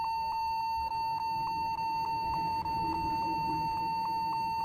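A piercing steady high beep repeating about once a second without stopping, the kind of alarm a stuck key usually triggers. Cause suspected, not confirmed.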